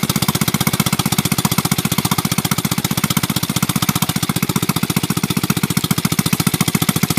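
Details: Motorcycle that sat long in rain and sun, revived after fixing a faulty ground wire, run with no exhaust muffler fitted: loud, sharp exhaust pops at a steady, even rate, running smoothly without misses.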